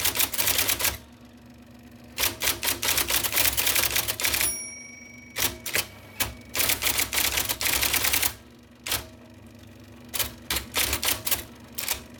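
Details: 1979 IBM Selectric II (non-correcting) typewriter, revived after fixing miswired plug, cleaning and lubricating: crisp, firm key strikes around three a second with short pauses, definite tactile sound; normal typing, though ribbon seems to advance slowly.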